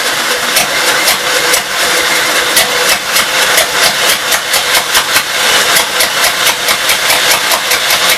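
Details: 1952 Gravely L single-cylinder on the carburetor and throttle setup from a 53 L after suspected fuel delivery problems, set to idle: fires up and settles into a steady, even run with no misses or stumbles.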